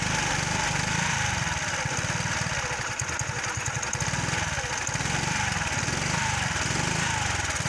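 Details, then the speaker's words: Kymco 125 fuel-injected scooter: fuel pump audibly running but the single-cylinder engine won't accelerate, running unevenly and missing beats. Owner suspects too much air and too little fuel, or a failed ECU. "Solo che è il motore che non tira. Come il mio che ho quello dell'altro giorno. Il mio non accelera, va così. Perde colpi. Aria magari, troppa aria e meno benzina."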